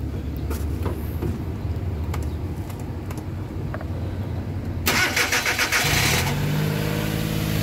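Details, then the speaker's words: Suzuki DA64/DA63 minivan K6A engine after reassembly, treating engine vibration: catches about five seconds in and settles into even steady idle with no shake or stumble; running normally. "yon So far okay na yung andar niya"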